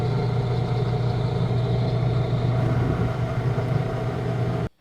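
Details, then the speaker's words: Coleman Mach 3 RV rooftop air conditioner after a long season unused: rough gravelly drone like an idling diesel, with a 121 Hz spike, from a rusty fan motor bearing that had trouble spinning; WD-40 and lubrication removed the sound. "The gravelly diesel engine-like sound was gone."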